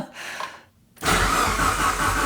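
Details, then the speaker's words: Fully built Mitsubishi Evo 9, first start after swapping an aftermarket starter for the OEM one: brief cranking whir, then the engine catches at once and settles into a steady, even idle; the starter was the fault, oil pressure confirmed. "What do you know? Look at that. So it's the starter."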